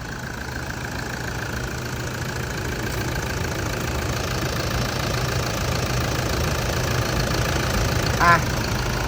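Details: 2012 Toyota Vigo 3.0 diesel automatic: starts on the first try without throttle help, no smoke, then an even diesel clatter at a steady cold idle of about four beats a second with no misses or odd knocks. Normal healthy idle.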